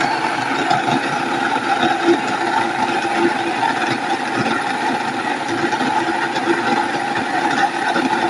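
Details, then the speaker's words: Nutrimill Harvest grain mill run with a few berries: steady motor hum with an even fine grinding rattle as the stones click, no knocking or labouring; normal milling. "Then you can hear the stones clicking, making noise. Put a few berries in. Now go ahead and make it fine."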